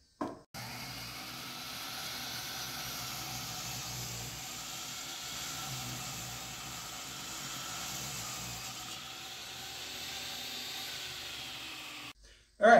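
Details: Saw cutting lumber with a shop vac running, after a wedge opened the kerf to relieve binding; even, steady whir under constant vacuum hiss, no bogging or pitch drop, cutting freely.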